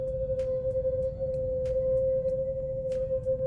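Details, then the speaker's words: Brand-new VW Polo TSI coasting with no accelerator, the car pulling itself: a steady, piercing high squeal holds unchanged; brake squeal from brake dust contamination on the wheel parts. "It's literally screaming. This is very, very bad."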